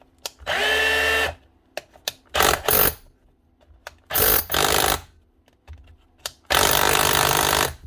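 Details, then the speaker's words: Cordless DeWalt SDS drill (DCH273 or DCH253) back up and running after a wiring repair inside; short bursts of strong, steady motor whir with rapid hammering chatter, running up cleanly and healthy. "that's her on dealt SDS Dr up and running again with just a we repair job on to the wiring inside"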